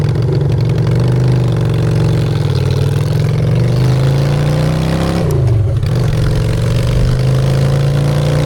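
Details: Honda Shadow V-twin after a custom makeover with custom exhaust, in neutral: an even, deep idle climbs cleanly on a blip and settles back without hesitation. Normal idle and revving.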